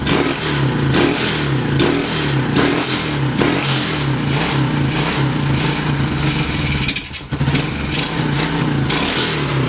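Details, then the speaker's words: 2016 TAO pit bike found seized, carbureted single, after oil check (suspected hydrolock): ragged uneven popping with a stumble near the end, not holding revs; rough running, owners suspect fuel or carb problem. "Let me turn the choke on for you. I think it might be out of gas. I don't know if that carb's going to come around or if we have to put it in the carb bath."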